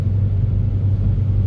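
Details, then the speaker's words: Seat Leon Cupra R 2.0 TFSI 265 PS, test drive after repair of cylinder 4 misfire (injector): steady, even low rumble at light throttle, no stumble or missed beats; running smoothly on all cylinders, fault fixed. "Fahrzeug fährt wieder, Fehler ist behoben. Jetzt machen wir gerade eine Probefahrt. Wenn ihr wollt, machen wir auch mal einen Soundcheck."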